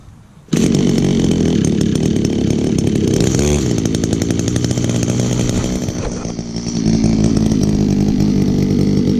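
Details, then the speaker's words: 2002 Echo SRM-2400SB split-boom trimmer, 23.6 cc, almost 18 years old, started on choke with primer under the carburetor. It fires, sags briefly as if it wants to die, then holds a steady high buzz. Runs excellent with great compression. "For a trimmer that's almost 18 years old, it still runs excellent. Still has great compression too."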